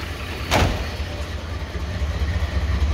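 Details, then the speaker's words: 1983 Ford XE Falcon 4.1L Crossflow EFI, first start after sitting for years, with leftover LPG wiring worked through: a deep, steady exhaust burble at idle with no misses or knocks and clean exhaust. "oh mate listen to that exhaust note there's nothing even coming out besides just uh well exhaust fumes how about that guys"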